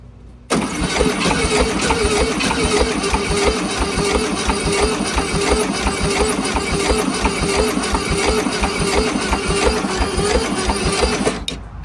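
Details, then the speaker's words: 1971 VW Super Beetle, sitting 20+ years, cranked on a jumper pack; sluggish even cranking at about 85 strokes a minute for ten seconds with no firing. The starter isn't turning it fast enough; owner suspects not enough compression, not confirmed. "Well, it sounds like it ain't getting enough to put it through it over fast enough. These didn't turn over very fast."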